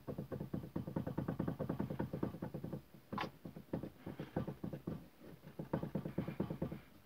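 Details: Toyota Corolla steering rack knock: dull irregular hollow low-pitched knocks, several per second in short bursts with quiet gaps; worn, loose steering rack.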